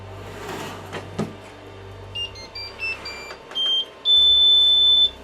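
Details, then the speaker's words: AnyCubic i3 Mega 3D printer (dual Z endstops), reassembled after opening, homing: high-pitched beeps of growing length ending in one long tone about a second, no motor noise; repeated beeping persists, cause unknown. "This version does have a Z stop on both sides. And you can see it's still beeping."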